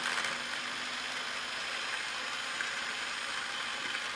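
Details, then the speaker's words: Traxxas Summit RC truck, motor refitted after light bar install: steady high motor whir with even gear hum, no grinding, clicking or slipping between forward and reverse, after earlier click on let-off; spur gear mesh set correctly between too tight and too loose. "about there kind of right in the middle of those two hold it I think that's good guys no slip between you know kind of kicking between four in Reverse it sounded pretty good"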